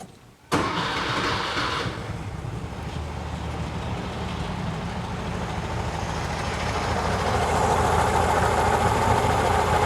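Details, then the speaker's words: 1968 VW Type 3 with dual 34 carb conversion, cold start: sharp catch, then steady even idle with a light regular valve tick, engine otherwise very quiet; normal cold start and idle. "all right, let's do a cold start. See what it sounds like. Like I said, and I don't know if it picked up in my mic, but it was super quiet."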